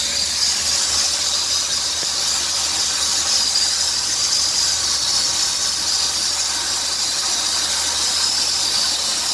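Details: 2003 Dodge Grand Caravan 3.3L, 372,528 miles: a steady high chirping hiss on acceleration that grows nearer 2000 rpm, persisting after replacing the idler and tensioner pulleys and power steering pump. The worn serpentine belt was the cause, replaced by a quiet belt.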